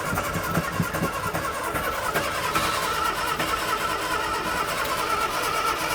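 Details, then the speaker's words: Morris Minor barn find parked 21 years, fuel poured in and ether added: uneven cranking churn with a few weak puffs that never catch. Not even a kick. "- [Tom] Not even a kick."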